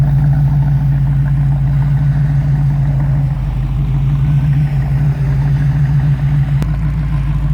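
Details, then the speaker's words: 1934 Chevrolet modified all-steel two-door with 700R4 automatic and A/C, warm after almost 30 minutes of running at about 195–198°; deep, steady low idle rumble with an even lope and no knocks or ticks; healthy. "nice little low idle Rumble even though this video is PR near 20 minutes long the cars have been running almost 30 because of all the pauses and it's running a nice cool uh 1902 195 198"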